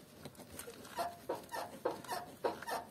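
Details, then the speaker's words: Squeak from a loose lower control arm silent-block bushing nut on a new Lada Niva Travel, heard as short squeaks about every 0.6 s while the body is rocked by hand to locate the source among stabilizer, silent-block and shock mounts. "стабилизатор есть у нас там есть сайлентблоки они могут скрипеть"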